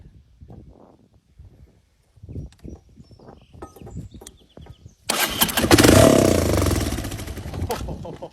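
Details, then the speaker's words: 1982 Honda ATC 200 three-wheeler (believed a Big Red), sat outside about 10 years, run with no carburetor fitted. A few weak cranking pops, then a loud ragged roar for about three seconds before dying. It fires but won't sustain. "So, I don't have a carburetor on there at all, but I'm kind of impatient and I want to see if this thing will at least pop. If it does stay, she's going to rev to the moon because there's nothing to block the air."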